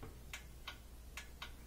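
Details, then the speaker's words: Thin twin laundry center washer set to spin: irregular dry ticks, four in under two seconds, over a steady low hum with no motor spinning; clicks but gets no power, lid switch suspected. "hear it clicking but i'm not getting any any power to it"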